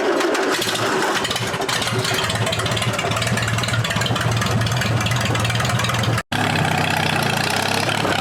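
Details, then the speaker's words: Allis-Chalmers B tractor, believed to be a 1947, revived after eight years with a new battery: cranks, catches and settles into a steady lumpy idle with no knock; starts normally, though it struggles under load, owner suspects fuel starvation at the carburetor. "I mean the tractor starts up just fine having a little bit of an issue right now"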